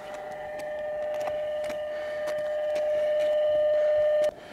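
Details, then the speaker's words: VDSL broadband interference on 10 MHz (10.104) radio reception via four-element sloper array, south antenna: two closely spaced steady tones beating, from two sources (west and slightly lower south); later traced to cabinet/exchange equipment actuated by modems. "I switch to the South brings in two tones very difficult to tell they're very very close in frequency but you can hear them beating so there there are two different sources of tones uh currently causing problems"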